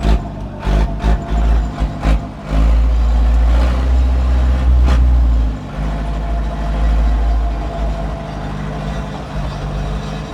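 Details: 1997 Zetor 4340 59hp 4x4 diesel cab tractor with loader, 1447 hours; cranks, catches and settles into a steady deep idle that pulls evenly with no knocks or misses; normal diesel start and run.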